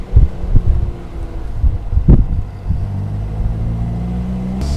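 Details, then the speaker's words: Austin-Healey Frogeye Sprite small four-cylinder, newly fitted electric fuel pump to cure fuel vaporisation, started on choke and driven: soft low burbling exhaust pulses over steady road rumble, no knocks or misses; healthy running. "listen to that little engine I really love this little car [Music] just listen - farting away there in the back"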